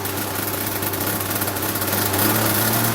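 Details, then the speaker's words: Boat engine, no idle screw, running cold just after start: fast steady high idle climbing slightly because the throttle servo isn't holding throttle where it should; servo to be replaced: high idle from faulty throttle servo. "But u that's why the idle's so high cuz like when I just killed it, all I did was push brake and it just close closes the thing off."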